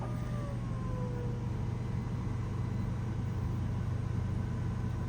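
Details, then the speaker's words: Thor Palazzo RV: leveling jacks raising back up into the coach after the panel button is pressed, takes about 10–15 seconds: even low droning hum, no knocks or surging, stops when retracted; normal jack retraction. "You'll hear some noises. That's the leveling jacks raising back up into the RV. Takes about 10 seconds, 15 seconds."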